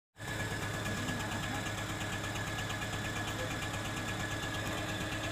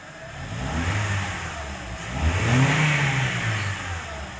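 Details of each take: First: Honda Civic Hybrid with codes P1024 valve pause system sticking on and P0300 random misfire; idling engine with a loud, busy, uneven ticking clatter over the hum, louder when accelerating. Valvetrain rocker arm noise. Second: Honda Civic Hybrid that had P1024 valve pause system sticking, P0300 random misfire and rocker-arm noise, after refitting the faulty linkage. Revs rise from idle smoothly and fall back with no ticking or knocking; only faint wiring noise remains. Normal revving.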